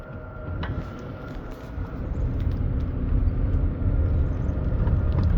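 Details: Faint, irregular sharp clicks over a low engine rumble as the driver alternates between gas and brake pedals.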